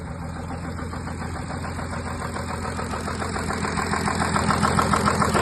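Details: Audi A6 3.0 TDI: a regular tick about three to four times a second rides over the diesel idle and gets louder; the cause is unclear.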